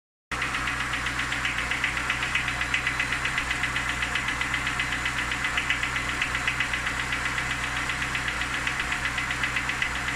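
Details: Lada Niva engine at steady idle: a sharp, even ticking knock about four per second; engine knock, source not pinned down.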